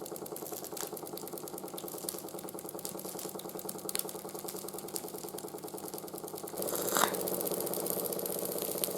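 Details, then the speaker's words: 1914 Ernst Plank 114/1 vertical steam engine after new crank pin, wrist pin and crank shims: light, steady ticking two or three a second over the running beat; crank knock remains when hot but much quieter than before. "s you can hear the knocking is still there try and fix that with but it's a lot quieter now than it was before it of oil in the right places"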